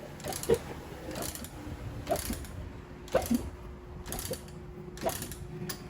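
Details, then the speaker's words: Honda Pop 110i, about 25,000 km, ridden on with an engine noise, then wouldn't restart: heavy metallic clacks about once a second while it tries to catch but won't sustain running. "Ela pega, às vezes faz que vai pegar, mas não sustenta. Olha o barulho que está no motor."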